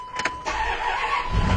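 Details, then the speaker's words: 2000 Dodge Durango 5.2L V8 with low oil pressure complaint: short grinding crank, pause, then stumbles and catches into a rough low rumble; slightly hard start the owner suspects indicates low oil pressure, possibly sender or gauge instead. "A little bit of a hard start. You hear again indicative of low oil pressure."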